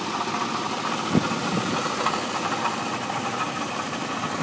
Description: 1989 Jeep Cherokee 4.0 inline 6, 227xxx miles. Started knocking.